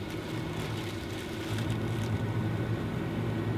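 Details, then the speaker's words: Fantastic Fan roof vent fan running on its lowest setting: soft, steady low whir and even hum, no rattle or scraping; higher settings are much noisier. "if you wanted to crank this up now this being said you know i'm sure there's going to be some people concerned about running this at the second or third option which honestly i guess you could but you you could hear how noisy it is and it's quite annoying"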